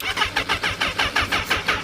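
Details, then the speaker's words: Newly bought used motorcycle with nearly dead battery: sluggish, uneven starter turnover, about four to five labored compression pulses a second dragging on each stroke, before it starts; should start readily with a fresh battery. "come on, you can do it. There it is. Yeah, the battery's almost dead."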